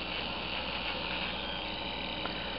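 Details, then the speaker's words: Bachmann Santa Fe GP40 DC model locomotive without decoder run on DCC track power at address 00: steady harsh, unpleasant buzzing hiss from the motor. "And as you can see, the the noise is not uh not terribly pleasant, but he is"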